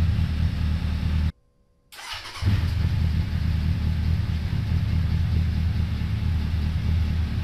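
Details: 2002 Suzuki Bandit 1200S, stage-three jetting with pod filters, after fixing fuel overflow for a won't-stay-running complaint, not yet warmed up, mic moved further away: after a short dropout the deep engine note settles into smooth, even idle, no misses or knocks; normal idle.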